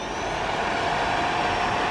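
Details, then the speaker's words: Suzuki DR-Z4S radiator cooling fan, bench-run on a power supply at 12.9 V drawing about 2 A, peak about 3 A, after radiator repair: steady even whir with faint constant tone, no ticking or rubbing; relatively quiet, normal. "It's actually relatively quiet for a cooling fan. It's much quieter than the fan on my KTM."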